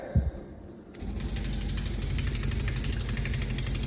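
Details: Sink with a water pump, tap opened: a fast, harsh machine-gun rattle at about three beats a second; the pump is rapidly cycling while struggling to regulate flow, shaking the pipes.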